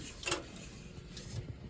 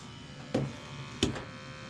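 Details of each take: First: 35-year-old Dunkirk gas boiler with no heat: on a thermostat call the zone valves open and the relay clicks, powering the circulator, with a faint hum but no burner whoosh. Failed gas valve, and soot on the floor. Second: 35-year-old Dunkirk gas boiler with a replaced gas control valve (first new valve also defective) and new automatic vent damper, sooty and due for section scrubbing; after a couple of clicks the burner settles into a steady low rumble with faint hum, firing normally.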